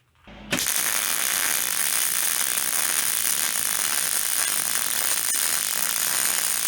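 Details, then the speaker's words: MIG welder with wire speed about 20–30 over the recommended setting: harsh, fast, continuous crackle with no smooth bacon-fry sizzle, and a terrible bead even with weave compensation. Wire speed far too high. "So, that was uh about 10 over and this was way cranked up like 20 or 30 over. And I I've just tried to compensate with my um with my weave and it just got worse and worse and that was just just terrible."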